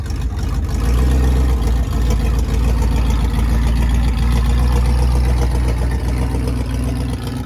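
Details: 1965 Plymouth Fury III, 318 Poly V8, exhaust in stock configuration with rubber hangers, no flex pipe; deep even rumble, steady beat, no rasp, leaks or rattles; normal quiet exhaust.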